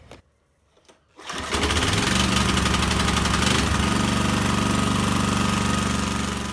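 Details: Briggs & Stratton 5HP single-cylinder site generator engine after carb clean, oil change and new spark plug: catches after a second of quiet and settles into a steady, even beat around four pulses a second; running normally.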